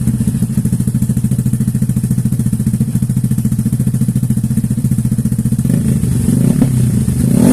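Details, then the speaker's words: Yamaha NMAX scooter engine bored up with a 57 mm Vixion piston and NMAX connecting rod, after break-in: the single-cylinder chugs evenly at fast idle, then revs climb smoothly with no knock or rattle; normal revving. "ya ini kita buat dengar suaranya gimana enak ya sini"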